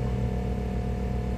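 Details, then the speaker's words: Pontiac Grand Prix GXP cold start at -14 F, second try: deep steady drone with low groaning hum over the engine; power steering pump straining and noisy because of the extreme cold. "it's just so damn cold that's my power steering pump making all that noise doesn't really want to turn because it's so cold"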